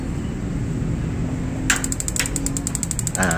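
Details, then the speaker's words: Gas magnet-type water heater with the thermostat socket disconnected to simulate a fault: the valve clicks open, the igniter keeps ticking about ten per second, but the safety cuts the gas after a second; open (broken) thermostat. "Pelan sekali tapi kita pakai ini pendengaran Insyaallah sudah tahu masalahnya kalau seperti itu berarti termostatnya putus pemantik tetap jalan tetapi gas akan diputus pengaman safety"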